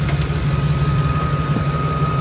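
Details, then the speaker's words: Ford F150 being checked for exhaust smoke at start-up and at stops: an even low idle with a thin steady whistle over it. The source is unclear; the owner wonders if it's the alternator. "hear a little bit of whistling I don't know if that's the alternator or or what"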